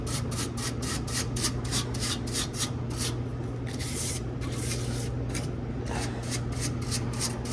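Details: 100-pound ice machine during harvest cycle: rhythmic rubbing squeak, about three per second, over a steady hum near the condenser fan; technician thinks it's not the fan motor but loose metal wiggling, unconfirmed.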